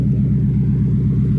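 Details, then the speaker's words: 2000 Ford Mustang GT with 4.6 V8 (believed ex-Crown Vic), running after unplugged fuel pump reconnected: deep steady rumble with even pulse, no misses or knocks, no leaks; normal running. "listen to that thing fellas that thing just purrs man wow"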